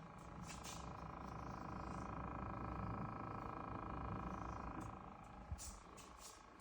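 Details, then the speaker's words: Loud, steady mid-pitched compressor hum from the side of a Midea refrigerator, still clearly audible standing away and heard throughout the house. "I go around the side so you can hear the humming, the compressor sound."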